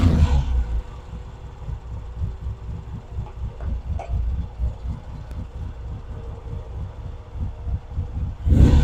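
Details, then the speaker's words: Vintage British motorcycle, rebuilt from boxes, at first start after the pilot circuit was put right so it starts easily: clean throttle blips rise and settle back to a steady low idle thump, crisp pickup, no misfire; normal revving. "you know that's the difference in the easy of ease of starting when the pilot circuit was working properly"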